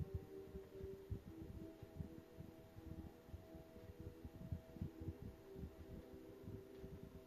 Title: 003soundbar_humming noise present